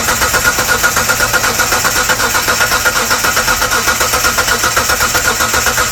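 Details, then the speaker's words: 1998 Mitsubishi 3000GT Base SOHC 3.0L V6, sat over 12 years, with new distributor, coil and power transistor unit and strong spark: steady starter cranking but no firing. The distributor is likely installed 180° out. "Was a distributor 180 out. We probably have the distributor 180° out."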